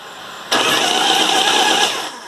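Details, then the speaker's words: 1987 Harley Evo starter that stayed engaged, spark plugs removed so no compression: brief high whirring spin that winds down promptly as the button is released; after fitting a different primary/inspection cover the starter now engages and releases normally. "the spark plugs are out which is why it sounds like it has no compression"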